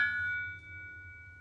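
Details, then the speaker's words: Mazda Miata Goodwin Racing Helmholtz exhaust: knuckle tap on the Helmholtz chamber gives a clear, high bell-like ring lasting over a second, matching the metallic rasp under heavy acceleration from about 2200–2500 rpm; thin-walled chamber suspected culprit. "It doesn't really sound like a Helmholtz chamber as much as a Helmholtz bell. So that's what I think the culprit is."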